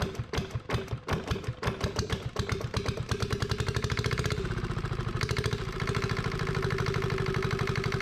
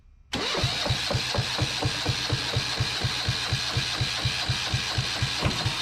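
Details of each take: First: Yanmar 1GM single-cylinder marine diesel on a sailboat, restarted after reassembly while flushing calcified cooling passages with diluted muriatic acid and water running through: a few uneven coughs then steady even knocking idle, running properly, smoke mostly stopped. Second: Yanmar 1GM single-cylinder marine diesel from a sailboat, cooling water siphoned from a bucket, water drain had been left open: steady starter cranking, one compression thump about twice a second for six seconds, never catches; cranks, no start; owner then says he knows why and adds throttle.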